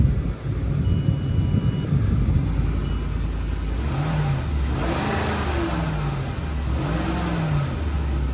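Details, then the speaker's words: 2008 Lincoln Navigator V8 with 164,000 miles, a repo at auction, started and revved: deep, smooth rumble rising and falling cleanly through several blips with no knocks or misses; healthy engine, sounds much better than a 2011 Expedition. "sounds a hell of a lot better than that 2011 Expedition I did earlier. Wow, much better."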